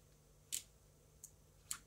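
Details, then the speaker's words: FPV battery series switch with a custom 5-volt relay rated about 60 amps, joining two 2S 7.4 V hard-case packs into 4S: three crisp clicks over a faint hum as the relay switches over normally. "There you go. The clicks was the relay clicking over."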